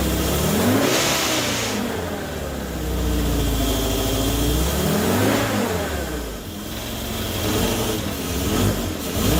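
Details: Morris Minor 1000 van with newly fitted Judson supercharger and one-barrel carburetor, first run: revs rise and fall with a loose metallic supercharger rattle and a harsh intake rasp as the carburetor sucks air hard. Supercharger rattle with carburetor intake rasp.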